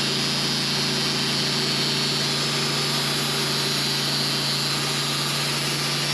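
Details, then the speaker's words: Sawmill (LT15wide) engine bogging down under load while cutting a 27-inch-wide black walnut Y log with a carbide blade; steady high-pitched drone with blade hiss, strained as the carbide blade takes more horsepower. "I can tell you for sure carbide blades take more horsepower because you could hear that engine bogging down, going slow through this."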